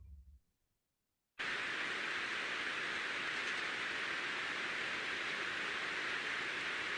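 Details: Ultrasound recording of a slow-speed bearing, one of a set where seven read 0 dB: after a short quiet start, steady even hiss with no clicks or rising scrape; smooth, well-lubricated normal bearing.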